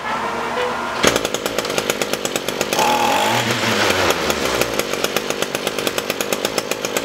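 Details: Echo SRM-225 straight-shaft trimmer, wouldn't run after storage; after diaphragm and air filter replacement and hidden jet adjustment: two-stroke picks up after sharp start, crisp even beat, no stumbling or hunting; normal running.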